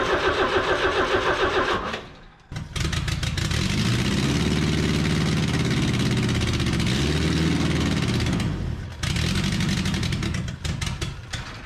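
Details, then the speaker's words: 1981 minitruck engine revving hard and uneven, then sharp backfire pops as revs drop; smoke seen from under carb spacer, owner suspects unsealed spacer vacuum leak making it run high, plans to swap gasket. "well she did a little backfire guys i think i've seen some smoke shoot out from underneath that carb spacer so maybe she ain't sealed good right there"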